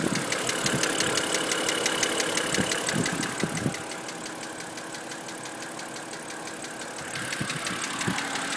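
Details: BMW N52B25 inline-six at idle: a steady, fast, sharp ticking at about three per second over a smooth idle; there is a knock, but its source isn't clear.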